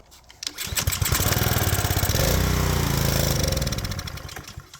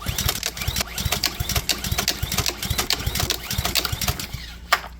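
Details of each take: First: Power washer's small engine, on fresh 89 gas after carb removal and cleaning (it had run only on choke), catches after a few pulls and settles into a steady, even patter with no surging or stumbling; normal running. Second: Pressure-washer small engine that runs only on choke, oil overfilled and smelling of gasoline: repeated pull-cord rasps with brief uneven chuffs that never catch into a steady run, even on choke; cause not confirmed; engine fails to start.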